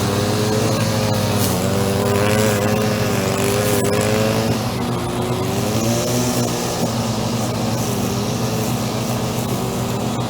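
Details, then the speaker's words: Echo SRM-2400 two-stroke string trimmer, believed mid-1990s, after choke start: high buzzy drone steady at constant throttle, no misses or surging; vibrates a lot and creeps sideways. Healthy normal running. "all out I'm very good vibrates so much almost look he likes to creep sideways all the time"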